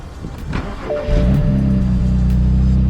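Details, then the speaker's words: BMW E92 335i with N54 engine, after a second-hand injector replacement: catches after a rough crank and settles into a steady, even run with no stumble or misfire; only wastegate rattle remains. "Holy mother of God. It's running smooth. That sounds like a different car."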